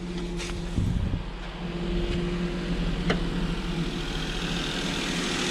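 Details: Maruti Alto with about 98,100 km, cold start warming up, after the engine mounting was replaced to cure idle vibration and rattle. Low, steady idle with no shaking, knocking or rattle; the engine sits quietly on its mounts, normal.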